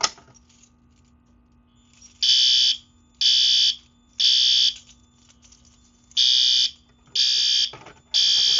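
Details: Fire alarm system annual test, BG-12LX pull station with addressable module activated: loud high-pitched alarm bursts repeating about once a second in a steady on-off pattern; system in alarm.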